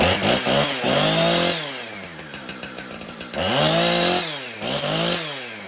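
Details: Husqvarna 455 Rancher chainsaw, reported running poorly, after routine maintenance. A crisp two-stroke buzz climbs to a high scream and drops back to a clean idle, twice; smooth, even running with normal idle and revving.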